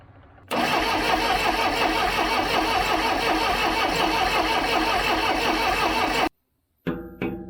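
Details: 1976 Broderson IC70 crane diesel, abandoned for years, varnished fuel, 12-volt fuel solenoid confirmed powered: a fast steady starter churning at about three beats a second that stops abruptly and never catches; cranking without starting, cause not confirmed.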